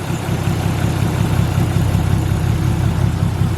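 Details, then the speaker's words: Nissan R33 Skyline with a misfire traced to a faulty spark plug while plugs and coil packs are swapped between cylinders one and four: deep lumpy idle with a recurring stumble from one misfiring cylinder. "wow so spark plug isn't liking it alrighty let's chuck a coil pack in number four and see if that fires"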